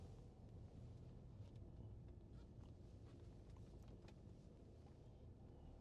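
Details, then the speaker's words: 2013 BMW 520d F10 (Nov 2012 build, 193,747 km) driving over a steep speed bump: low, steady road rumble with no clunks, knocks or rattles from the suspension. "방지턱 엄청 센데 하체 소음 없습니다."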